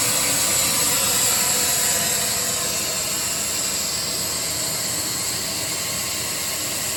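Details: AIRMAN air compressor after fixing crank-no-start fault (fuel pump and starting relay de-energized, fuse traced): steady even run with strong high air hiss, no misses or knocks; engine running healthy.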